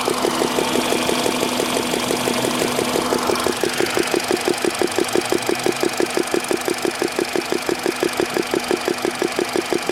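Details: Petrol engine warm, 58,559 km, ZIC 5W-30 oil, knock appearing only when hot, silent cold at 10°C: sharp even tick about three times a second; owner suspected hydraulic lifters.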